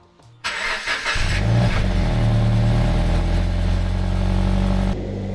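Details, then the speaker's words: Toyota GT86, crash-damaged rebuild, first start in two months after coolant and oil refill; crank sensor location unknown. Brief cranking, then the engine catches cleanly and settles into a steady, even idle with no knocks or misses. Normal engine start. "So, we're going to try and crank it and hope that doesn't cause me any problems."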